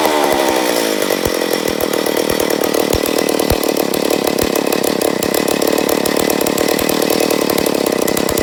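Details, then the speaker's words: McCulloch Pro Mac 850 chainsaw, first start after rebuild, recoil spring suspected broken: high revs surge and stutter with irregular pops instead of a clean scream. Fuel and air being adjusted; owner suspects an air leak. "I think we need to give it a little less fuel for a little more airflow there we go try that"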